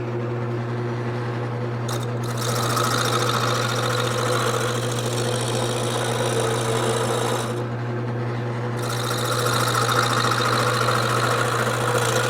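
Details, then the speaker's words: Wood lathe turning a blank still not fully round: steady motor hum with rapid, uneven knocking as the tool bounces each turn; should be smooth when completely round; workpiece out of round. "now one way to tell if it's completely round it looks round but it's not so if this bounces in any way and I can feel it bouncing that telling me that I'm not quite there yet Hear That Knocking Noise Okay it shouldn't it should be smooth and that way I know it is completely round"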